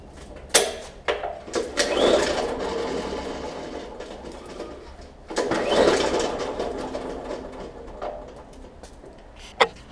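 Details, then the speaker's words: Mower engine (from brand-new mower, blown up) that was locked up and freed, pulled over: smooth free whirr with no compression chuffs; loss of compression. "that would be the sound of no compression and I know it was locked up and I was able to get it freed up and now it just does that"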